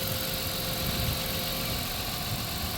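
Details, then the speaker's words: 1997 Dodge Caravan LE V6 at 239,722 miles after replacing melted coil pack with a used one and a donor wire: smooth, even idle on all six cylinders, no misses; normal idle. "oh yeah we're running all six oh yeah there we go ah she sounds healthy again"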